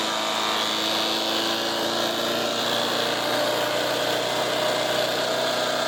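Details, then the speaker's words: Resurrected direct-drive wood chipper, 90s engine with adapted 50s carburetor, warmed up: loud, steady roar, constant pitch, no knocks or surging; runs healthy but owner couldn't make it quieter. "so I got it running pretty good but unfortunately I could not make that damn thing quieter"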